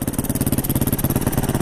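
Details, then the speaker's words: Recently bought Yamaha WR450F enduro after service, idle just adjusted on electric start, exhaust drilled with a couple of holes: crisp, even single-cylinder thumps about twelve a second, no misses; idle set right, sounds throatier. "Is it running too low now? It's a fine balance. That sounds alright now."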